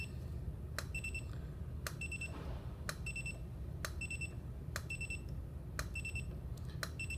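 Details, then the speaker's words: New Einstein studio strobe in color mode at 1/32 power, light green: sharp pop about once a second with short high double beeps, intermittent misfires despite flash tube reseated; cause unknown. "and again misfire misfire I don't find that acceptable and I'm not certain what could be causing it but I know it certainly shouldn't work that way"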